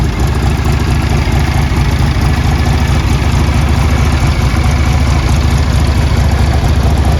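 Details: 1981 Harley-Davidson Tour Glide Classic FLTC Shovelhead 1340cc, 37,447 miles, starts well and has been ridden: deep, steady V-twin lope at idle, about two firing pulses a second, even and unbroken; healthy idle.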